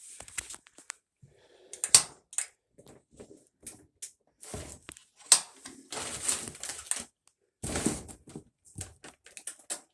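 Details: Whirlpool WE04800BQ1 dryer leaving black marks on clothes: loud rough rumbling grind as the drum turns on worn support rollers that touch the drum; a previously clogged vent let excess heat build up.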